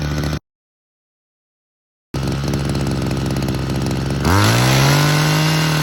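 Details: Hedge trimmer two-stroke with a JB Weld-repaired joint, just after a carburettor adjustment: buzzes, then revs sharply and holds on its 10,000 rpm limiter. Owner thinks an air leak remains.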